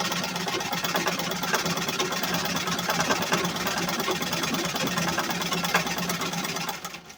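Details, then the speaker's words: Treadle sewing machine after servicing, oiling and a plate change; the treadle was loose and had been broken. Fast rattling clatter of about three knocks per second over the running mechanism, noisy. Noisy treadle. "এখন পাদানিটার একটু সমস্যা এই প্রচুর শব্দ হচ্ছে ঘুরতেছে না কিন্তু শব্দ হচ্ছে"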